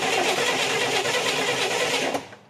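Fast even whirring of the starter for about two seconds, no firing at all, then it stops; cranks but won't start. Cause suspected, not confirmed.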